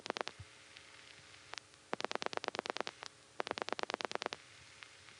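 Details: Gotham Tandem switching, 1975–77 recording: call to Wadsworth 3 panel on a direct trunk hits a fault, so Gotham reroutes via Amsterdam Tandem 1 using 7-digit revertive pulsing; sharp relay clicks in fast trains of about ten, pausing, then resuming.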